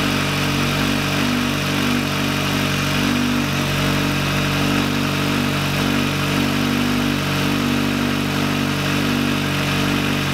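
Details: VW Lupo 1.8T turbo first restart after engine failure, rebuilt with H-beam conrods, new bearing shells and 2 mm thick head gasket: smooth, even idle with steady low drone, no knocks or ticks; runs very well.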